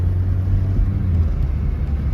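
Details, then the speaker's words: Petrol engine running after a Sea Foam valve cleaner treatment: low, even rumble with no misses, ticks or knocks. Normal smooth running. "yo beautiful beautiful engine bro"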